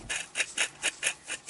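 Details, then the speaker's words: Yamaha Kodiak/Grizzly ATV front wheel bearing, removed and turned by hand: bursts of dry gritty rasping about five times a second instead of quiet; both bearings shot and replaced. "okay listen to the bearing shouldn't sound like this should be nice and quiet"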